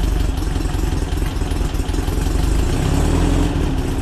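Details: VW Split Bus flat-four upgraded from 1904cc to 1968cc with 92 thick-wall cylinders, SuperStock 37/32 heads and Weber carbs, first quick start: deep, even burble with steady low thump and no ticks or rattles; healthy idle.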